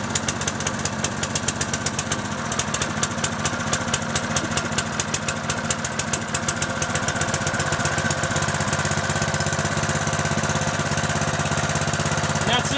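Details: Single-cylinder Honda 6.5hp pump engine, roughly 12 years old, with fresh gas: chugs with a quick, steady firing beat and holds speed without surging or dying; runs normally.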